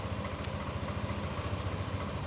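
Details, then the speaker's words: Yamaha Aerox 155 VVA scooter with smart key, single-cylinder, after fixing a low idle that died unless throttled (ISC fault); restarted, it ticks over at a steady, even beat with no stumbling or dying: normal idle. "Okay, boss, the motor is back to normal and the motor is back again."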